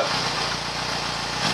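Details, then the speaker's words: 2004 Yamaha FZ6, about 18,000–19,000 miles, all stock: cold-start idle just after starting, a smooth even low pulsing with a nice little hum, no ticks, misses or rattles; normal healthy idle. "but this is how it should sound it should have a nice little hum to it"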